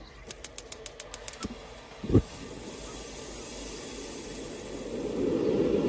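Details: Junkers/Vulcano-type electronic gas water heater that would not spark, after repair: about eight quick igniter ticks, a soft whoomp as the gas lights, then a steady burner roar; normal ignition and burner operation.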